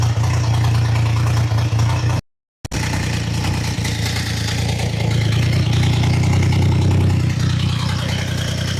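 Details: Triumph Trident T150 triple after a cold first start, choke open, idle screw being wound up: fast, slightly lumpy tickover that never quite settles; idle and carbs still need setting.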